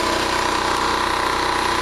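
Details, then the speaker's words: Small generator after carburetor replacement running steady at about 124 volts and 61.5–61.8 Hz, governor holding revs; owner says no more surging, and turning the carb screw makes no difference; even drone with no rise and fall; normal steady running. "I think he fixed the problem, folks. No more surging."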